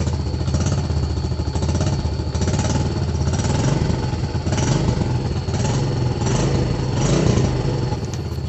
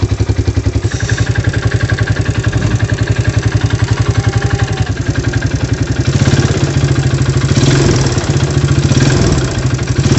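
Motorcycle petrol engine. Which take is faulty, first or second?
second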